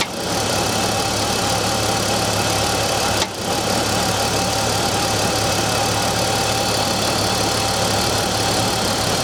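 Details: BMW E46 M54 engine cold start idle: dense, busy clatter with one brief dip; knocking noise on cold engine, cause not pinned down.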